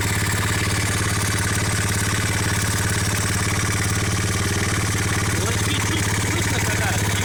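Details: ABM Raptor 250 single-cylinder idling with a steady rapid tapping, about three to four per second, over the exhaust note; engine knock.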